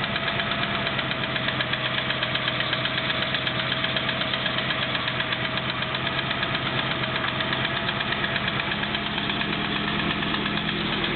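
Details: Triumph Stag engine at cold start idle: steady rapid knock tapping over the running note; starter solenoid clicks from three start attempts are not the fault.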